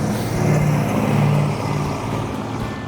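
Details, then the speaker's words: 1972 Dodge Charger Rallye with restored 318 V8, revved after restoration: deep, even V8 rumble rising and easing under throttle, no knocks or misses; normal V8 revving. "I think it sounds good. It does sound good, yeah. But it was cool. The car did perform well. The car ran good."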